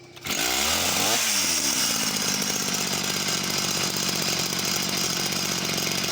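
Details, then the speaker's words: Husqvarna chainsaw, unknown model: sharp rev dropping within a second straight back to steady, even idle; returns to idle cleanly. "parts come straight back down to idle as well really quickly"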